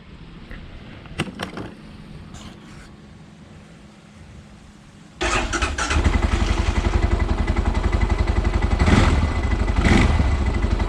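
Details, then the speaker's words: Normal start and idle of a 2019 Arctic Cat/Textron Alterra 700 ATV, drowned in muddy water many times: the starter catches quickly, then a steady, even low thump with a couple of clean blips. It starts and runs healthy. "Just listen to this engine starting up and tell me that sounds like an engine that's been underwater more than 10 times."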